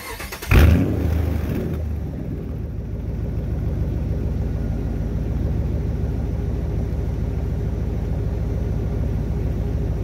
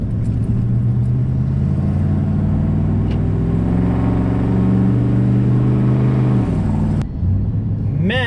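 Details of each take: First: Dodge Ram 1500 just after a fuel pump replacement: quick crank, catches at once and settles into an even, steady low idle with no misses, with faint fuel pump whine. Fuel gauge works; normal start and idle. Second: Dodge Ram 1500 on road test climbing a hill, just after a fuel pump replacement: heavy steady roar rising with engine speed because the fan clutch is stuck fully engaged; replacement fan clutch on order.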